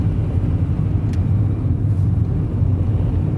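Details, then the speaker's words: Toyota Corolla with 1ZZ engine at about 70-80k miles, microphone inside cabin, freeway night drive: steady low drone under road rumble at cruising speed, no knocks, ticks or whine; engine healthy (rear brakes may be audible). "As you can hear, the good old 1ZZ sounds perfect for a Corolla."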